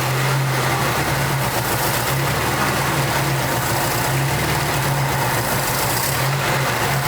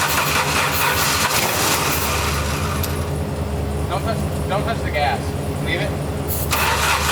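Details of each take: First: 1989 Jeep Wrangler YJ 4x4, four-cylinder, manual, sat about 12–13 years under a tree, just revived; steady, smooth, slightly raised idle with low hum, no misses or knocks, running on its own fuel and injection. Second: 1989 Jeep Wrangler YJ 4x4, manual, revived after 12–13 years sitting: starts and stumbles with an irregular, lopsided beat, only half the cylinders pulling; seemed to run on two cylinders, two spark plugs later found cracked through; fuel filter also suspected.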